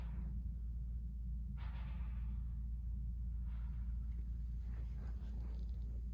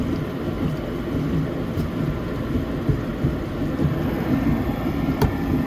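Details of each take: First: Rheem 90%+ gas furnace in an attic, inducer motor running: over a steady low rumble, a soft whoosh as the main burners light and settle into an even roar; normal ignition. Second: Rheem 90%+ gas furnace that is not heating properly, just kicked on: irregular low gurgling and throbbing over a steady blower rumble. Condensate is accumulating in badly installed vent and drain piping.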